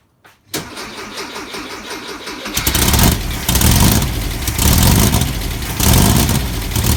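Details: 1641cc air-cooled engine after ported top-end rebuild, first start on the floor via start box, cooling tins off: brief cranking, fires and rises then settles in a few blips to a steady, even idle; normal start and idle.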